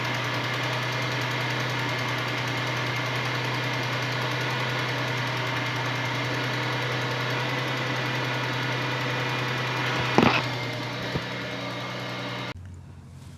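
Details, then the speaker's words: 2002 Ford Mustang V6 on a cold start, driver's-side exhaust manifold leaking per smoke test: quick, fairly even ticking over steady idle that fades at operating temperature as metal expands; cracked exhaust manifold leak. "this mustang has the infamous startup tick and that tick goes away once the engine reaches operating temperature that's because the metal expands and feels that crack"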